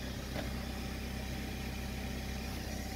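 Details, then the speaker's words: 2015 BMW X5 F15 air suspension after installing a new air compressor with a new relay, fixing a sagging corner. Steady, even electric buzz with low hum and no rattle or labouring as it slowly raises the rear. Normal operation. "the air compressor is working this rail is slowly needed time to hear the compressor running so hopefully they're all okay it's coming up slowly"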